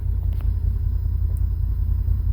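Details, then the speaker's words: Idle of a 2020 Can-Am Defender Limited Max cab with the AC off, around 1150–1250 rpm, before the compressor is switched on. A low, steady rumble with an even beat and no ticking or whine. Normal idle. "I'm going to turn it on I'm not going to talk so you can hear what the motor and that fan does when you turn it on"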